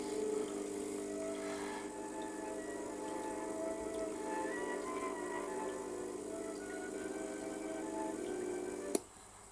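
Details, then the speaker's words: Ferguson tape recorder, about 40 years old: faint wavering playback with heavy hum that comes through only while the head connector is pressed and cuts out when released; owner suspects a defective head, hum possibly from touching it. "just give it a little gentle bit of pressure there and you can hear it coming through faintly although there's a lot of hum and I'm starting to wonder if in fact it is the head itself that's defected"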